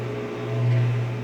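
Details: 17 kg Whirlpool washing machine with damaged bearings, leaking water underneath: steady low hum with a faint tone above, swelling slightly then settling, the drain pump emptying the tub.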